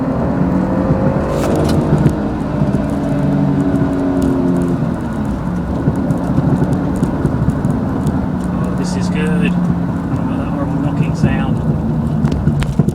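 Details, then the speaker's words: 2001 Jaguar X-Type 2.5 manual, 107,000 miles, road test on lumpy lane after replacing rear top and lower control arms, ARB bushes and drop links: steady road rumble, no clunks or knocks; only a very slight rear noise remains. "well that was very satisfactory there's only a very slight noise coming out the back now"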